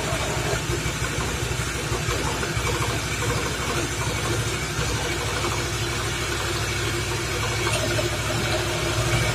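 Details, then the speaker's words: Suzuki Nex FI scooter, rough and weak on climbs: loud, rough, steady grinding drone over the engine with rear wheel spinning, fading when the wheel is braked; mechanic suspects worn CVT or gearbox bearings. "roda diputar segini aja udah suaranya seperti ini Ini masalahnya adalah CVT kalau nggak lahar sini kalau nggak di bagian gearboxnya"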